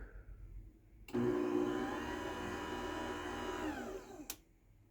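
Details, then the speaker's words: 20-year-old garage door opener, heavily used, still quieter than a brand-new opener: smooth even motor hum with soft steady chain run, no grinding or clunks, winding down cleanly; healthy quiet opener. "So you can hear that 20-year-old opener, even though it's been used a lot, is quieter than this brand new opener."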